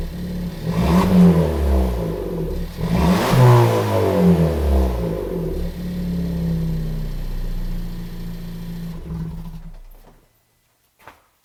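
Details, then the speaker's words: Suzuki Swift Sport with both intermediate silencers removed: revs climb and fall cleanly twice over a deep, even exhaust drone with no ticking or puffing; sober sound, more pep than stock; normal start and revving. "Bon, bah, c'est plutôt pas mal. Moi, je suis assez satisfait du résultat. Comme on l'attendait, c'est plutôt sobre. C'est mieux que d'origine, ça met un peu plus de peps."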